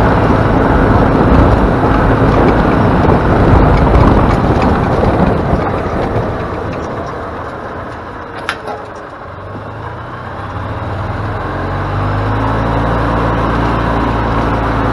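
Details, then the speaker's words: Flood-damaged EZGO golf cart after new micro switch and tune-up, test drive: engine pulls steadily, dips briefly backing off, settles to even drone under road noise; running normally after repair. "all right guys so there you have it back to operating like it's supposed to"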